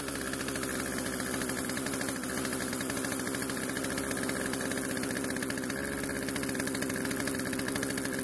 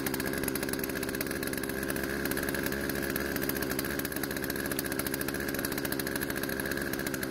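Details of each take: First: Poulan chainsaw unused for over a year; old fuel was drained from the tank, lines and carb and fresh mixed fuel added. It now starts and runs, holding a fast, steady two-stroke buzz at rest. The idle speed is too high, so the chain keeps moving. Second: Poulan two-stroke chainsaw out of storage, after carb adjustment, chain tensioned and sharpened; steady crisp buzzing idle, no surging, stalling or misfire; idle speed needed adjusting to stop chain creep. Normal running.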